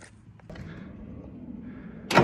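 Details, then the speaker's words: 1988 Ford F250 7.3 IDI diesel with ATS turbo, sitting about 12 years: starter churns over with a low, uneven rumble and nothing catches. Fuel is reaching the filter Schrader valve; owner suspects a fuel issue. Cranking no-start. "I think it's a fuel issue right now."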